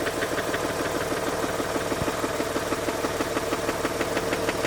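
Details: Mazda RX-8 Renesis engine at idle: a sharp, regular knock about three times a second from the rear of the engine or the clutch; it seems not to be the SSV and the cause is unclear.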